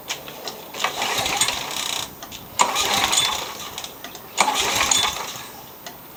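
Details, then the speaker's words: 1999 Toro Super Recycler mower, 6 hp Briggs & Stratton, that wouldn't start this season and has low-feeling compression: it catches in short rough bursts about every two seconds, then dies each time. Owner suspects a carburetor issue. "I took a quick look at it yesterday after we picked it up and we got to start and die so it sounds like it's a carburetor issue"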